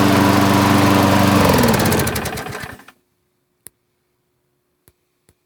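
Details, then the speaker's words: Free roadside lawnmower, said not to start, with a full tank of gas and clean new-looking oil, primed and started; the small engine buzzes evenly with lots of exhaust, then winds down and stops. Normal running. "machine you could tell it's powerful has a lot of exhaust coming out of this thing"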